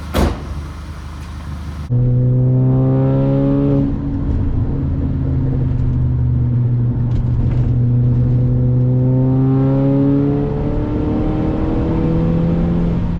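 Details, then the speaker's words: 2010 Audi A5 B8 after high-pressure fuel pump replacement (carbon cleaning and injectors hadn't fixed misfire and rough idle): brief crank, catches and flares, then smooth, even idle with no stumble; running much better. "I'm sure it's noticeable, but this thing is running way better after replacing a high-pressure fuel pump."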